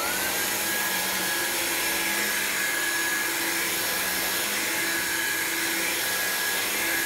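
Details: Black signature-variant upright vacuum, no longer needed by its previous owner, running on a clean machine: a steady, even high motor whine with a brush hum underneath, no rattles. Its brush seems more aggressive than the non-signature variant's; healthy.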